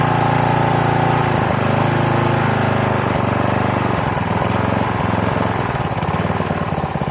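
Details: Troy-Bilt pressure washer's small single-cylinder engine after fuel system cleaning, first start in about 4 years, choke knocked off: settles from rich choked chug to a quick steady beat with only a slight occasional miss; runs great.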